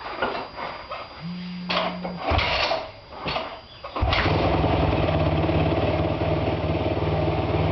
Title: 2008 YZ450 Whining Noise